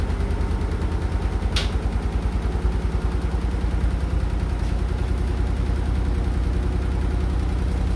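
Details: Hotpoint NSWR843C washing machine on final fast 1200rpm spin: fast relentless low hammering rattle about three hits a second, steady through the spin; something loose banging as the drum turns, cause not found.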